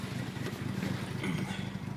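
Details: Type R Mazda RX-7 FD3S with recently rebuilt rotary engine, after sitting parked for months, idles rough and uneven with a lumpy stumbling pulse; misfire, engine builder suspects a spark plug, unconfirmed.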